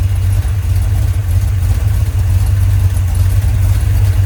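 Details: Rebuilt 1990 Mopar 318 V8 from a D150 with a special-grind Comp cam, air-gap intake and a roughly 625 carb, no alternator fitted, at first start: a deep, steady, lumpy cammed idle with no knocks or ticks. Runs smoothly, though vacuum is low.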